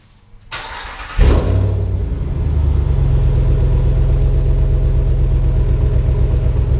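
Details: 2019 Ram 1500 Hemi V8 after a muffler delete with a Solo Performance kit: cold start, then a deep, loud, even idle burble with a slight raspy edge; straight-pipe exhaust note, owner may add a small muffler if he dislikes it.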